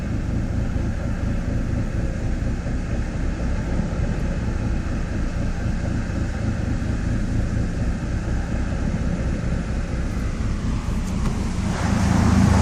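Deep, uneven rumbling idle with a lumpy, irregular beat and no steady rhythm; the engine is idling rough.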